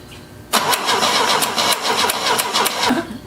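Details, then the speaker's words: 1970 Opel GT barn find, unrun about 30 years, with gasoline poured in and the pedal down: steady cranking at about 3.5 beats a second for over two seconds, never fires. Owner suspects the solenoid popping in and out from a not fully charged battery. "i think it's the solenoid because the battery's not charged all the way it's popping in and out"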